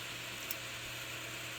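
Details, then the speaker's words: HP Media Center m8000 tower with no display and no POST: after shutdown via power button, quiet steady fan hiss with faint hum never slows; the graphics card fan keeps running. "yep, as I suspected, the graphics card fan is still running. And it's not running where it seems like it's slowing down or getting in a final cool before a down cycle. It's just purely running."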